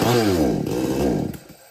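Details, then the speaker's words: Kisan Kraft / R Yantra 58cc chainsaw brought in for repair: starts at high revs, then revs sag and fade within a second; won't pick up or take load, bogging with cause unknown. "यही तो problem है machine pickup नहीं बना रहा है"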